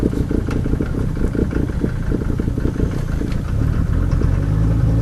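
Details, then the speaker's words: 1990 Mercedes 300D diesel with ALDA adjusted for economy, cold start: deep, throaty idle with steady clatter and booming exhaust. Loud muffler at idle. "Just listen to it. It's loud, muffler."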